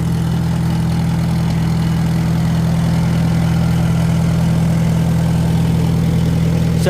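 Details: Farmall Super M-TA gas tractor, converted to alternator with new wiring and fuse holder, started without starting aids using a little choke then throttled up: low, steady, thunderous idle with an even beat and no misses or knocks; healthy engine.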